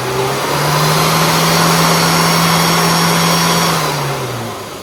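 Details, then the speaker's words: Classic car engine revved and held high, slightly uneven and stumbling throughout. Mixture checked lean pretty much across the whole rev range, with a misfire; this drives as a flat spot. "So we're pretty lean, pretty much all the way across the rev range. So what that will manifest itself when you drive it is a little flat spot."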